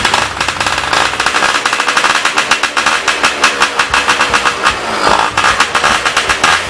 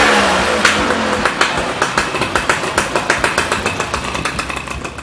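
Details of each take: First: Yamaha Y110SS two-stroke idling after cylinder boring with new piston rings: rapid popping surges and sags, idle still unstable; likely blocked carburetor, subsequently removed and cleaned. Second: Yamaha Y110SS two-stroke motorcycle after repair of unstable idle caused by worn cylinder and blocked carburetor, carburetor cleaned: crisp popping exhaust beats about three or four a second, settling evenly after a blip; normal steady idle.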